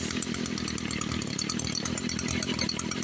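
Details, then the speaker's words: ECHO SRM-210 two-stroke string trimmer after primer bulb replacement: high buzzy drone at steady even speed, no stumbling or misfire; running healthily. "Just one primer bulb, $7 at AutoZone for a 3-pack. And we got a running weed eater."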